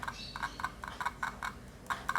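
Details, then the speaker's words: 8-ohm 0.5 W loudspeaker tested with an analog multimeter on the ohm x1 scale reads between 5 and 10 ohms. It crackles with sharp irregular clicks each time the probes touch, meaning the speaker is good. "Speaker di samping jalan dia juga mengeluarkan suara, itu berarti speakernya masih bagus."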